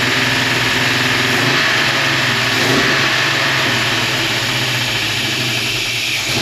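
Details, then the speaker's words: 1956 Chevy wagon small-block V8, first start after years outdoors, with a new HEI distributor, water pump, fuel pump and exhaust gaskets, likely cold: lumpy, uneven idle and revs. Exhaust leak confirmed; owner suspects a massive vacuum leak. Rough running. "t's got exhaust leak for sure but it is running definitely a little noisy but considering it sat for a while it's okay kind of sounds like it's got a massive vacuum leak or something"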